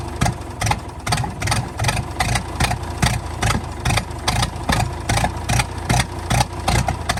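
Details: 1929 Ford Model A four-cylinder, abandoned 75+ years, running on starting fluid: fairly even running with sharp exhaust pops about two to three a second; that exhaust valve still pops now and then.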